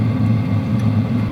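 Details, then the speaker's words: WIPPRO diesel heater on power level 3, mic inches from the heater, getting hot: steady low roar of combustion and fan with no fuel-pump ticking. Normal running at low power. "You can hear the combustion, you can hear the fan, but you really can't hear any ticking."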